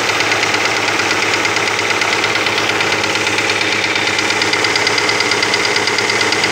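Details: Opel Omega B engine at idle: quick, fairly even ticking of about three per second over a steady idle; the knock is suspected to be the exhaust camshaft on the second cylinder head.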